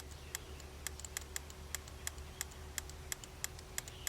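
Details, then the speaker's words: 1989 Volvo 760 Turbo, revived after 15+ years sitting, with a fuel injector fed 12 volts; crisp, regular ticking about three times a second under a low hum, normal injector clicking. "I'm going to hit the first injector just so y'all can hear the injector clicking. That's what it'll sound like. It's clicking now."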